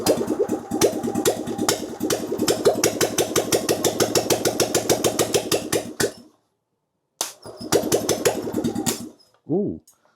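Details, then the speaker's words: Steyr Puch engine, non-runner sat for years, no fuel and no choke, on jump pack with brake cleaner sprayed in: ragged popping bursts catch a few seconds, stall, fire again briefly; brief firing on starting fluid only. "Let me see if I can get it to pop off in a little bit of brake cleaner. Let's have a look and see what we get. Jump pack on. Let's try. One, two, three. Don't blow up. Oh, we have a bit of life."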